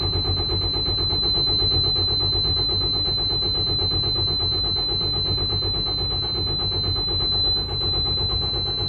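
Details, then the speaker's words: Detroit DD15 truck engine, being primed with a hand primer after the fuel drained back to the tank overnight: steady starter churning at about three compression beats a second with no catch, extended cranking from air in the fuel system. "These Detroits are the worst engines to get air out of the fuel system. And just like that, we're still waiting."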